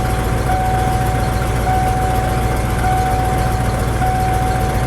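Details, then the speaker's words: Ford F250 manual truck, just started after fuel pump work: steady even idle, a faint constant whistle, noticeably fast. Idle too high; owner suspects TPS or MAP sensor or throttle plates needing backing off. "It's idling a little high. Well, at least for now. We'll see if it goes down."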